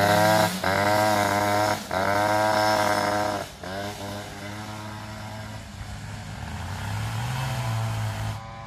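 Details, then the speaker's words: Two-stroke scooter after ignition troubles, engine a bit cold, rear wheel rubbing swingarm and variator: buzzy note rising and sagging unevenly, stumbling every couple of seconds; running rough, cause suspected not confirmed. "donc là comme tu peux le constater sa ratatouille un peu donc elle est un peu froide"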